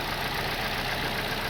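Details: 2024 Toyota Corolla at idle after three failed injectors were replaced, following a misfire with only one cylinder working properly (plugs and coils already checked): short stretch of even, steady idle with no stumble; all cylinders firing smoothly.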